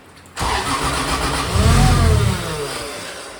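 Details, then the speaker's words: Toyota 2JZ engine, first start after a setting was enabled and the injector plug refitted, throttle cable not yet set up: the starter spins and uneven firing pulses build briefly as it tries to catch. "all right it's getting somewhere yeah"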